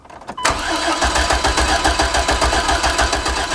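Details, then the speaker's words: Chevy Astro van (stated as 1987, listed as 97), towed in with a crank-no-start: starter cranks steadily at about 3.5 compression beats a second but the engine never catches. A fuel pressure gauge shows plenty of pressure, so the fuel pump is ruled out. "Okay. Well, crap. What was that? It's making noises, but we got plenty of pressure here."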